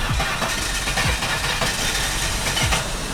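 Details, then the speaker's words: Holden Commodore with 130,000 km, first start with a dead battery, spare battery fitted: engine idles with a fairly even beat and some clatter around it, no misfire or knock standing out; runs like a clock, healthy idle. "It runs like a clock, though."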